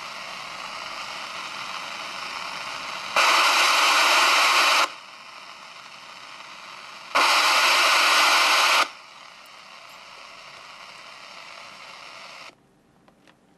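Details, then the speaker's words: President Harry and a forty-year-old Cobra CB radio at full volume with squelch off and antenna disconnected. Two bursts of even steady hiss with quieter hum between: ordinary normal receiver noise. "raz poczciwa Czterdziestoletnia kobra z o.o i tak szumi czterdziestoletnie radio"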